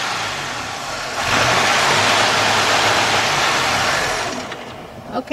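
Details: 2005 Chevy Impala 3.8, warmed up, fuel pressure about 45 dropping to 40, spark present: engine holds a raised, rough run, then sags and dies after about four seconds; warm stalling.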